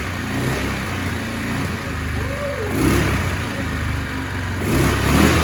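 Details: Yamaha Kodiak ATV left for dead behind a shed, revival attempt with key on, spark and oil checked, fuel shot given, carb bowl had been short of gas: single-cylinder engine catches and revs up and down with uneven, blipping rhythm; normal running after revival.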